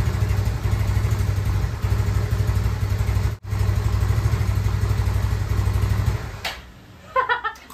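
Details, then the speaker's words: Yamaha Nouvo scooter being bored up to 148cc, carburetor not yet serviced, stale fuel suspected clogging it: uneven, lumpy putter that falters and dies after a few seconds; hard to start, dies when throttled. "Oke guys, tadi udah sempat nyala, nyalanya cuman ya begitu doang, agak susah digas karena saya lupa nih karbunya harus diservis dulu atau mesti dibongkar dulu, karena Ini bensinnya udah basi dan ngerinya udah nyumpal di dalam karbu, makanya agak susah ketika nyalain, dan kalaupun nyala digas langsung mati."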